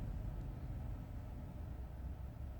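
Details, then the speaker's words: 2012 Ford F-150 3.5L EcoBoost that intermittently struggles, chugs and dies after start: after restart, low even rumble, smooth idle and clean rev to 3000 rpm; normal idle. "smooth idle now rev smooth to 3000"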